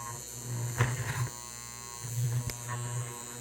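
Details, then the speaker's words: 1930s-40s Robbins & Meyers 16-inch oscillating fan, model B16A6-O, now turning after the shaft was pushed in: rough buzzing hum swelling unevenly, loud running. Owner suspects an assembly error or a long-disintegrated bushing. "So I think it's going to try to burn it up right now. I think there might be an assembly problem. Maybe I didn't assemble it right, or there's some bushing that has long been disintegrated."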